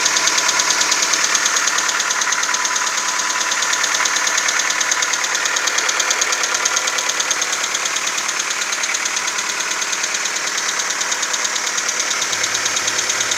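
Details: VW Golf 4 1.4 AHW engine, cold start: steady light ticking about two beats a second over a smooth idle; it becomes nearly inaudible when warm, leaving a faint clicking and shuffling. Runs fine, 5W-40 Castrol Magnatec changed every 10k. Cold-start knock, cause unknown.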